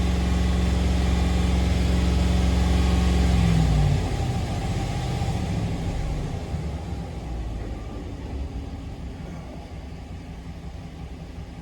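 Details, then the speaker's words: 2016 Ram 1500 5.7 Hemi V8 with a cylinder #3 misfire persisting after all plugs and coils were replaced; drones steadily at high idle then drops to a rough, uneven run, missing around 2500 rpm but not under load. "not missing under a load now but it seems like it's missing a high idle yeah it's missing it high idle but not under a load not high idle but high RPMs so at like 2500 it starts missing"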